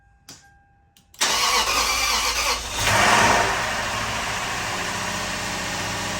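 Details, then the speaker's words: 2004 Lexus GX470, first start after full teardown and retiming, no coolant yet, uneven compression readings; catches after a brief crank into a slightly uneven, rough idle; sounded a little funny, smoking, owner suspects old oil, some fuel leakage; rough running after start. "But she did start. She sounded a little funny."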